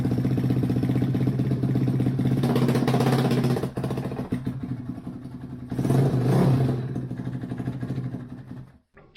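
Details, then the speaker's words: 2005 Suzuki RM-Z450 single after engine rebuild: steady thumping about four beats a second, picking up cleanly on throttle blips; sounds good, though exhaust may need repacking and a loose head pipe could cause slight popping back. "it doesn't sound too bad she's taking gas and everything else obviously we're probably going to need to repack the exhaust and the head pipe's not super tight so could have a little popping back it's not a big deal but she sounds good"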